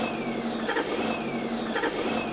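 A thin high whine sags in pitch and repeats about once a second over the cranking clatter, a tonal starter motor whine.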